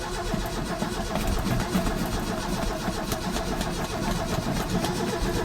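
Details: Roughly 40-year-old Ford cranking with an even, rhythmic churn that never catches or speeds up; crank, no start.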